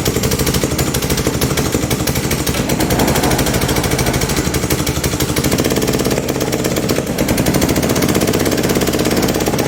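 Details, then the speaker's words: PUBERT wheeled brush cutter, Honda GCV160 engine, before repair, lacking power and stalling under load in grass: harsh rapid valve train clatter over the run from excessive lash, caused by a broken exhaust valve rocker arm. "Bueno, no sé si se aprecia muy bien en el vídeo cómo suena, pero suena realmente raro."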